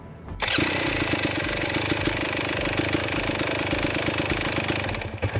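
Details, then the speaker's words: 2022 GasGas EX 250 two-stroke after a crash and flooding that left it hard to start; with the spark plug changed it starts at once and settles into a crisp, steady, even idle. The fouled plug seemed to be the cause. "Change spark plug. That seemed to have fixed the issue."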